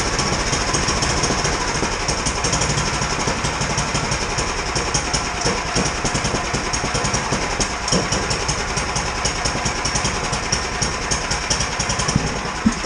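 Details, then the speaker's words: 17-year-old Sears Craftsman snow blower small engine idling cold after new replacement carburetor (old one cleaned, ran rich, wouldn't idle); uneven lumpy beat with hunting speed, not yet warmed up; carburetor still needs fine idle adjustment. "still think it needs a little bit more fine adjustment on the carburetor"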